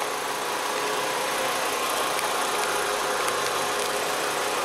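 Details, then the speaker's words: 2007 Jetta 2.5 20v after a new fuel filter with integrated regulator (pressure 4 bar): warm idle steady at 680-690 rpm, coolant 75°C, throttle position 2.4, smooth with no misses. The small ticking heard is the canister purge valve. "temperatura da água 75º até o momento marcha lenta estabilizada aí em 680 690 giros né Tá show de bola"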